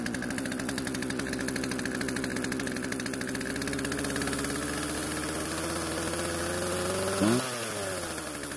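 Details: Poulan chainsaw two-stroke restarted after storage with old fuel drained and fresh mix: fast steady buzz at idle, pitch creeping up without throttle; idle speed set too high, chain keeps moving.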